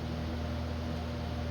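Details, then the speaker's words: ILG Model 123 fan, 1/20 hp GE unit-bearing motor after servicing and re-oiling the wicks: steady low hum at constant pitch, no drumming or rattle; motor runs smooth and healthy. "just the natural harmonics of the motor. And um I'm not hearing any drumming sound coming from it."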